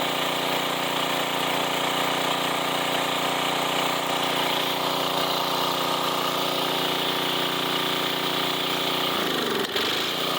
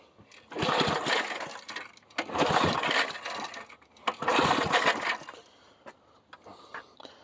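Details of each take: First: 1990s Sears Craftsman 2400 W generator, long-stored, started on choke with a splash of fuel in the carb: steady, even hum at constant speed, barely dipping under a brief reciprocating-saw load; runs healthy. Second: 1990s Sears Craftsman 2400 W generator, choke on: three recoil pulls turn the engine over but it never catches. It had no fuel and later fired once gas was added to the carb.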